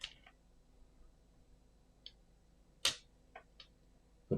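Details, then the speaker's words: Hollow Clock V stepper motor running rewritten Rust code after its step delay was changed from about 1 ms to a slower setting. Sparse irregular sharp clicks with no smooth turning; the motor skips and chatters. Cause unconfirmed. "it's not working it's clicking why is it clicking what's going on it's trying to jump out and catch you up"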